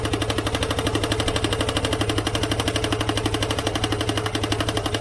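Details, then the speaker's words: Vespa ET4 scooter built from a box of parts, first run after the engine was fitted and a bearing replaced, with some smoke. A fast, regular clatter of about four beats a second rides over the engine like a sewing machine; cause unknown. "sounds more exhausting sure that sounds more exhausting than it does yeah that's a sewing machine"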